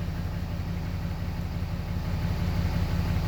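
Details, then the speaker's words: 6.7 Cummins just started after a crank-no-start with cylinder 1–4 injector-open codes; no codes now. A deep, even diesel idle with a regular low throb and no misses or knocks: healthy and settled. "boom there we go so now we're running engines running"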